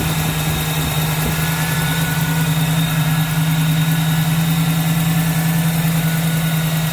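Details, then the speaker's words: 1979 AMC Spirit AMX, rebuilt AMC 304 V8 bored .060 over with reworked heads and new pistons, 4-speed, on its first drive with fuel pressure back up: smooth, even idle with a steady low hum, no knocks, misses or ticking. "But it looks good, it sounds good."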